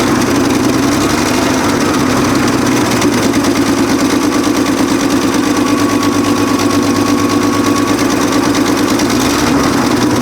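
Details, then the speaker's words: 1965 Chevrolet C10 with 292 inline-six, abandoned for years, first start after adding oil and a quick carb cleaning: steady idle with a fast even puffing tick about three per second; exhaust leak at the exhaust manifold. "so definitely would say it's got an exhaust leak uh sounds like it's right here right out of the exhaust manifold"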